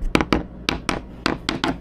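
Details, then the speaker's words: Sailboat overhead fiberglass core repair using teak pieces set in thickened epoxy, tapped from the top: crisp, even taps all ring the same with no dull or hollow spots, so the core patch is solidly bonded. "not bad if we're tapping from the top it's probably all going to sound the same so we got we got a pretty good bond in there"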